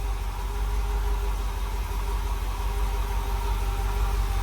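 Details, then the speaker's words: Rebuilt small block Chevy V8 in a white dump truck; this is the pre-rebuild knock from when the truck came in, a heavy low idle with a dull, uneven thump about three times a second, bottom-end knock of unconfirmed cause. "Remember, it was knocking real bad when we brought it in here. >> Yeah. >> I I'll put a clip in here, you guys, of the pre-nocking sound. It sounded pretty awful."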